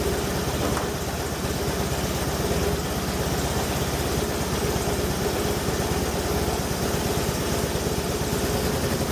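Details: 1989 Hoverstar 2+2 hovercraft with BMW engine conversion, first start in the hull after the front engine mount was redone: steady, even idle with a smooth low rumble and no knocks or misses; normal idle.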